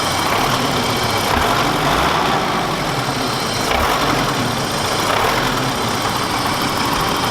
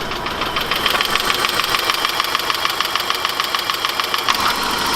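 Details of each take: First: 1991 BMW E30 Touring, hot after half-hour drive, hood open after valve ticking fix: steady even idle with no distinct tick over the hum; valvetrain quiet, normal idle. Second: 1991 BMW E30 Touring petrol engine at idle: fast, even metallic ticking from the valvetrain, heard before treating it with Marvel Mystery Oil to clean the lifters.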